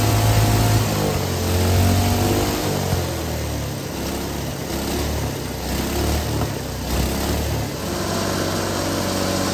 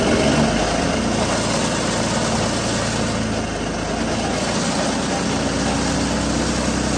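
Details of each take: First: Hydrogen engine with its cooling water injection replaced by diesel, run at full RPM and full throttle with hydrogen turned almost off (about 90% diesel). Rough uneven beat with hard knocking; it vibrates heavily and puffs smoke, yet keeps running. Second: Hydrogen combustion engine with methanol injected instead of the usual cooling water, idle tweaked and more hydrogen needed than with petrol; steady even idle, low hum and light mechanical chatter, no misses or knocks; runs better than petrol-hydrogen mix.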